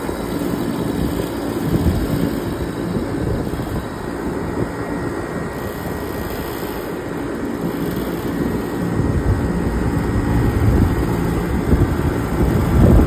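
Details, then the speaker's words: Trane unit in test mode after replacing the RTRM board: low, steady rumble and hum that keeps going without cutting off, contactor staying energised and compressor two running, 26 V now at J3-4. Normal compressor running. "That compress that that contactctor should stay energizing. That compressor should stay on and I should have voltage coming out now."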